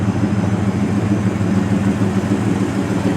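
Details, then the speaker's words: 1970 Dodge Coronet 500 convertible, 383 big block, idling; deep even burble at about three pulses a second with no misses or ticks. "of it or that 383 rumbling yeah sounds good"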